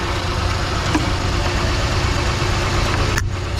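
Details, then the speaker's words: Uneven, lumpy idle with a stumble; misfire from a blown head gasket, with coolant mixed into the oil (chocolate-milk oil). "And that's definitely got a blown head gasket. That's why it's got a miss."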